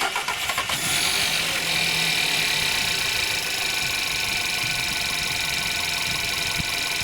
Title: Skoda, VW, Seat 1.2 TSI - EA111 - timing chain rattle at cold start - hydraulic tensioner, chałas